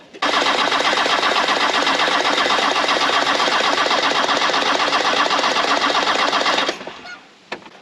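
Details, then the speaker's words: 6x6 Land Rover diesel after a Bosch VE injection pump swap, fuel reaching injectors: steady starter cranking about four beats a second that never catches; timing suspected off, possibly timing belt skipped a tooth. "H sounds like the timing is off a little bit. Fast forward a day. Yeah, I'm still in the same monkey clothes. Engine wouldn't start."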